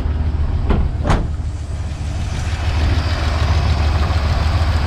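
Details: 1977 Chevrolet C10 small-block V8, first start in possibly years after sitting, run on choke: low, steady rumble with an even beat and a couple of stray clicks early on. Normal idle; a noise later appears when rpm drops.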